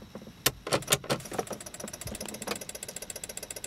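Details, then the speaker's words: 5.9L Jeep Grand Cherokee, key turned to start: a few loud clacks then fast regular clicking about two per second with no cranking; headlights dead, fuses good, earlier flickering suggests an electrical fault, neutral safety switch ruled out. "This is an issue I have as well. Hear that clicking? Try to turn on the headlights, nothing happens."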